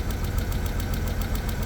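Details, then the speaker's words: 1991 BMW 750iL storage-unit find, started through an ignition bypass: a lumpy, uneven idle with ticking pulses and an odd noise near the mass airflow sensor, but no check engine light. A misfire; owner will check for vacuum leaks and the spark plugs. "Got a miss. Had a really weird noise going on from like the mass airflow. I don't know what that was about."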